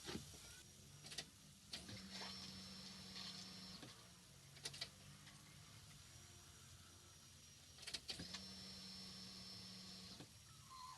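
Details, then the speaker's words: 1998 Subaru GF8 WRX, EJ205, new in-tank fuel pump EFP-056 (Denso 195130-1270) just installed, ignition priming: soft steady electric hum about two seconds, repeating three times; really quiet, solid pump with no leaks. "I tell you what it sounds like a really quiet pump"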